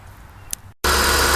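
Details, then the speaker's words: 1996–2000 Chrysler Sebring, engine started after a radiator replacement to check for leaks: it catches after a quiet moment and settles into a smooth, even idle with no knocks or misses. No leaks found; normal idle. "Next thing is to start it up. Check for leaks. There's no leaks."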